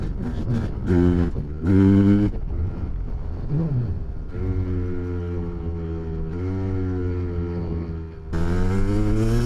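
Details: 1993 Kawasaki KDX200 two-stroke after new piston and top end, ridden after second/third-gear break-in, then shifted through the gears to wide open: crisp buzz climbing and dropping with each gear, pitch rising cleanly and evenly; healthy rebuilt top end.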